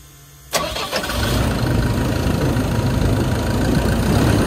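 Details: Forestry machine diesel (140-5) in the woods after replacing a failed, knocking belt tensioner bearing: it cranks, catches and settles into a steady, even idle with no belt squeal or chirp; healthy.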